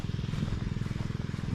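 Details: Predator 79cc engine driving a repaired 1-inch water pump, new air filter fitted, choke on then set to working throttle, pumping rainwater: steady low thrum firing evenly with no stumbles. Normal running under load.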